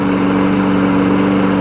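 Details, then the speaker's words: 22-year-old 5 hp Briggs Quantum engine on a big-wheel push mower, running while the oil smoke is nearly burned off; steady, even buzz at constant speed with no surging or knocking; runs well. "the old quantum engines are good. Smoke is just about burned off, so clean it up, get it going."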